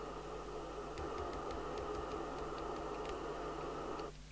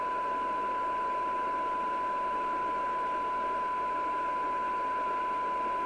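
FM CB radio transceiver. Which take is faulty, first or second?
second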